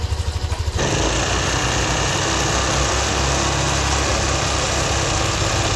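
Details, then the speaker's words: Yamaha Aerox V2 scooter idling before repair, radiator cover off, recorded before disassembly: quick pulses, then a steady idle with a light, loose rattling tick on top. Valve tick traced to excessive intake valve clearance; normal after the fix. "So ito yung before kanina bago natin baklasin. Ito yung tunog niya kanina. Pakingan niyo maiki ha."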